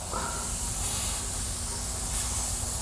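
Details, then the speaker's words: New BendPak TS-5 80-gallon compressor (5 hp motor, two-stage cast-iron pump) feeding black iron shop piping: loud, steady hiss from a sizeable leak at a pipe joint, fixed by cutting the pipe out and fitting a union. "all right there was a pretty good size leak there so I ended up cutting that pipe out and putting a union in like I said I always should have"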